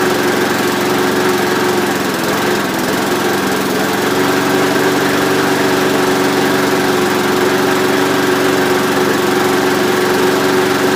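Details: Rover mower with replacement Briggs & Stratton engine, fixed throttle, cold start after engine change; even, steady high-pitched drone with no misses or knocks, runs smoothly.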